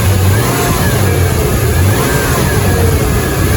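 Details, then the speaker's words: 1999 Toyota 4Runner after a timing belt job, engine revved: faint high whine above the engine from a remanufactured Denso alternator bad out of the box; low output, wiring voltage drop tested fine, timing belt first suspected. "hear that whining noise originally i was worried that that was gonna be like an something with the timing belt because i just did a timing belt job on this"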